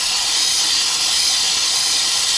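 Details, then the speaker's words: Ford King Ranch truck, passenger valve cover off, shop air fed through ICP valve port into high-pressure oil system (meant to hold ~1,000 psi): constant sharp hiss; leak found at chewed-up standpipe O-ring. "And so by putting air on here through the ICP valve, which I pulled out and put this fitting in, I hear air hissing and I know there's a leak somewhere. So I think it's back here somewhere."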